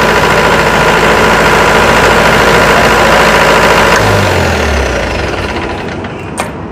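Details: Diesel engine (fire hydrant pump) during oil pressure switch demonstration, started and stopped: even clatter about three and a half beats a second, then winds down smoothly and stops; switch contact opens when running; normal diesel idle.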